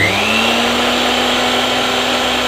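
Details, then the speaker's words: National blender after cleaning, temporary fix applied, powered on: steady high-pitched even motor whir with no grinding or stuttering; normal running. "ඔයගොල්ලන්ට පේනවා ඇති. ඉතින් ඔන්න වැඩ කරනවා."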